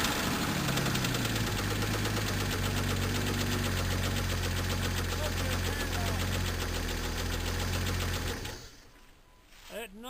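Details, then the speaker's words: 1998 Jeep Cherokee 4.0L, knock began on a 4-degree morning start and worsened; valves fine, fan belt off: deep steady knock at about 220 per minute over idle; owner suspects wrist pin slap, internal engine knock. "I believe is a wrist pin slap, so we're going to have to tear it down and go into it and see what's the matter with it. It's down internal in the motor."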